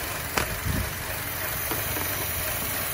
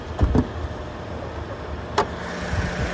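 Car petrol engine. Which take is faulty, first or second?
first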